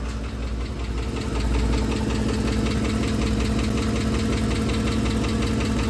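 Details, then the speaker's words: 2010 Ford F-150 5.4L 3V Triton V8 settling to idle, with a quick, light, steady tick from both banks that speeds up with rpm: worn roller followers, not a phaser knock. "So it's not a phaser knock. That is a tick from the followers. It's a lighter, tinier tick."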